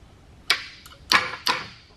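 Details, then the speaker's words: Honda Ruckus with a swapped GY6 engine and a new PSP plug-and-play harness, no carburetor fitted, starter just bumped: three short sharp whirring bursts, starter spinning freely each time; healthy. "that, and then you at least hear that the starter's turning over. So that is all good to go."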